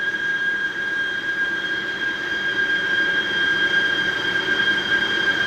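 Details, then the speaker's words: Machine cutting a spotlight base part: thin, steady high-pitched squeal at one pitch over soft rushing; unclear whether from the machine or the cut, owner guesses belt squeal and plans to change feed rate. "And that sound is really annoying. I don't know if that is the machine or me cutting the material. It's away. So, I would assume that was the belt squealing for life."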